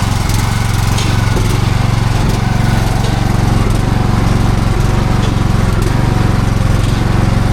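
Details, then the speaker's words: Viking T6 ride-on mower idling in park, with a loose metallic rattle on each beat. It sounds like a pulley; the rear transmission cooling fan and pulley were replaced. "I hear it. Somewhere in here. Sounds like a pulley."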